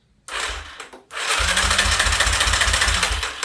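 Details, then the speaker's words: 2003 Yamaha Wolverine quad, after cam chain and head work, starter jumped with a screwdriver because the key has no power: even whirring crank with strong chugs about four times a second, engine spinning freely. Electric start works; healthy cranking. "So it turns over. So the electric start works."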